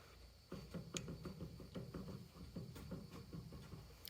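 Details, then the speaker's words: Jeep driveshaft turned under slight acceleration, fairly new front shaft. Faint quick clicking repeats with rotation from a flat spot in the CV joint. The front CV joint is starting to wear and will probably need replacing soon. "this front one's actually starting to wear which is surprising because that's fairly newer so we're actually going to have to replace the front one too probably in the near future"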